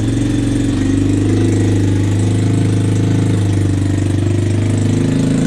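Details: 1986 Yamaha Moto4 YFM200DX ATV, single cylinder, cold at 10°F: the idle is lumpy, sagging and catching, and it also sputtered under throttle and backfired. The owner suspects bad fuel.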